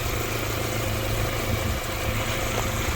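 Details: 1988 Honda CRX Si, D16 engine, after new clutch and transmission install and a drivability fix, belts off: low, even idle hum with a steady throb and no taps, misses or hunting; engine sounds settled; normal idle.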